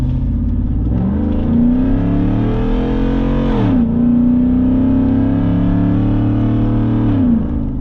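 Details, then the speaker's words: Ford F-150 accelerating hard: a deep, raspy bark rises with each rev and drops on the shift, far louder than stock. The muffler and tailpipe slid off the exhaust pipe. "Woohoo! Obnoxious. They're mad now. Woo. Kinda like it."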